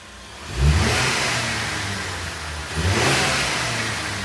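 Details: Ford Maverick petrol engine revved after fitting a new K&N air filter: two clean throttle blips rising smoothly and settling back without stumble or rattle; healthy revving.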